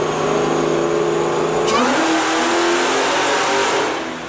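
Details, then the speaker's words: 2004 Mustang Cobra Terminator with a ported 2020 GT500 supercharger, 2.8 upper and 10% lower pulleys, on the dyno for a baseline pull: the rising full-load tone stumbles and breaks up near the top. Tire spinning is noted; owner suspects spark blowout and fits new TR7IX plugs. "I think it's spinning. I think it needs plugs. All right, it sounds like it might be getting some spark blowout, so I'm gonna go ahead and get a fresh set of TR7IXs in it."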